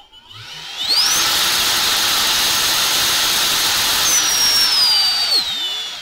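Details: Brushless motor from a Ridgid Gen 5 drill with failed control board, run on a separate cheap BLDC speed controller at 18 V: clean high whine climbs to steady speed, holds evenly, winds down smoothly; motor runs fine.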